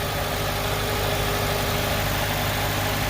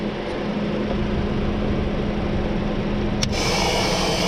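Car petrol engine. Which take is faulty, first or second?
second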